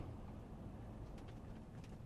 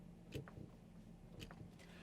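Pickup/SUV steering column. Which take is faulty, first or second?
second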